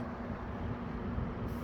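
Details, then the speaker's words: Eskimo box fan model 201083, after cleaning and reassembly, running on low and still speeding up: a steady even low hum with a harmonic whine from the grills and no rattle or scrape. It runs smooth and quiet. "Really nice and quiet. hear that harmonic wine grills."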